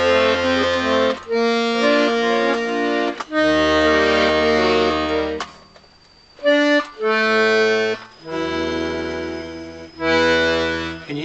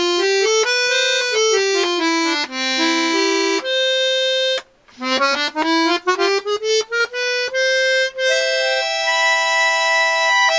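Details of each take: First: Scarlatti 24-bass accordion after tuning bass reeds to A440: bass chords with faint buzzy rattle on E note on bellows push, to be investigated. Rattling bass reed. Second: Vintage Scarlatti 24-bass accordion, treble-side reeds after tuning to A440: clean, steady notes held and run through the scale with no buzz, rattle or wavering; the reeds play in tune.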